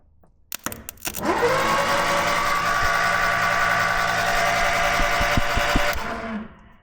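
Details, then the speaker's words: Fire-damaged 1969 Ford Escort Mk1 van crossflow engine, cranked with a temporary battery hookup and no loom: starter spins it at an even, steady whir for about five seconds with no grinding or catching; normal cranking. "It turns over, so don't sound too bad."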